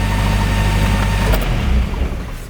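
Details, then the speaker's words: 1982 Renault Fuego, long stored; idle runs strong then sags and hunts within seconds instead of settling, surging idle; smoke testing done for a suspected vacuum leak, cause not confirmed. "but in getting it running once it fully warms up the idle is erratic it goes w w w"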